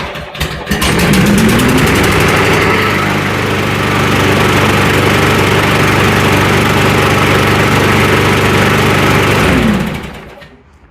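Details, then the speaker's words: Murray lawn mower that was surging/hunting, after repair: starts fairly well and settles into a steady even drone with no rise and fall; running smooth, spark plug still due for replacement. "Okay. And she starts pretty good. And she sounds like she's running pretty smooth."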